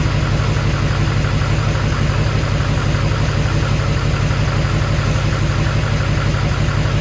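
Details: Duramax LBZ diesel swapped into a HMMWV Humvee, first start after FASS lift pump install: steady, even diesel clatter at idle with smooth low rumble, no knocks or misses; engine sounds just as it should.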